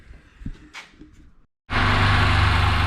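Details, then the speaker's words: Very tired Suzuki Burgman 650, odometer 39,000 km but real mileage far higher, just started after the faulty C51 sensor was replaced and the variator worked: loud coarse rumble with rattle on idle; timing chain stretched beyond tensioner's reach. "after the replacement Varik worked but listen to this rumble"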